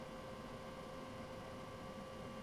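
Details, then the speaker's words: Sony CDP-CX455 400-disc carousel CD player after belt replacement, powered on: quiet, even motor whir with a faint steady tone as the carousel turns and resets itself; smooth, no slipping or grinding, normal. "It's going around in a circle. Looks like it's resetting itself."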